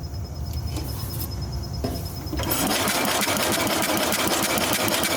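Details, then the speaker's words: 1966 Simplicity Sovereign lawn and garden tractor with Briggs points engine: starter spins it at an even chatter of about three beats a second with no firing; points not closing/actuating properly, giving no spark. "Okay, there's no spark. All right, stop. Bring it out. Try again. Yeah, nothing."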